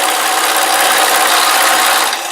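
Harsh, high-pitched chattering grind with a shuddering edge while cutting, a sign of vibration the setup should not have.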